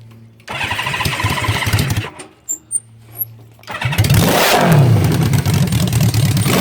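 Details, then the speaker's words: Honda CB550 engine in a go-kart, carburetors suspected running way too rich (gas smoke); fires up, idles unevenly and lumpy, then revs with a rough burbling note. Owner plans to check float levels and jet size; cause not confirmed. "see all that smoke and it's it's gas it's not all it's way too rich so i need to figure out why it's doing that"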